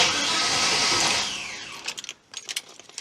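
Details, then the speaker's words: Holden HQ ute after swapping in an LJ Torana ignition switch: strong even cranking whirr for over a second fading to light clatter, no clicking, not catching as unpumped and unrun for months; normal starter cranking. "it's not going to go because I haven't pumped the accelerator it's got a electronic accelerator and hasn't run for weeks so it's going to take a bit of time to get it going again but listen to that beautiful noise"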